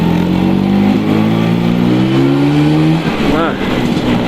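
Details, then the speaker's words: Vespa after replacing the noisy 7 clutch with the original-type clutch it came with: steady two-stroke buzz at even pitch with a soft blip near the end, calm and smooth with no clatter, no longer like a helicopter; normal running. "nah lebih tenang suaranya lebih landai enggak kayak mesin helikopter"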